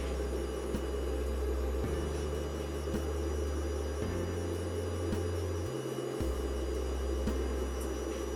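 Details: Inverter bring-up test, channel A enabled and PWMing at low frequency (current about 27 mA, nothing hot): low steady buzzing tones stepping in pitch every second or two with faint ticks; PWM switching noise, output ringing.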